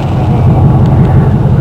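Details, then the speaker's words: 1947 Ford custom hot rod V8 after new header gaskets; deep rumble with puffing chuffing on each pulse, still leaking from four worn-out gaskets around the glass packs. "so joing it sounds better I can still hear where they're leaking around the glass packs"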